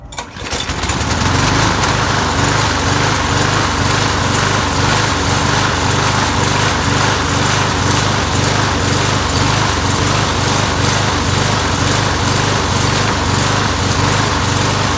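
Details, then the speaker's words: Very old small lawn mower engine after cleaning clogged channel holes in the carburetor float bowl bottom bolt (fuel starvation): now keeps running but still surges, speed rising and falling about twice a second; likely needs more maintenance. "You can still hear it kind of surging, so it probably needs a lot more maintenance and stuff."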